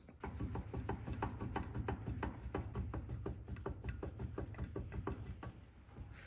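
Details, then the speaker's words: Removed stock driveshaft from a BMW 335i E90 drift car with a welded diff, held in a vise and twisted by hand: dull clicks about three per second with each twist, worn, loose universal joint. "but I was able to uh twist this drive shaft and you can really start to hear um the play in the U"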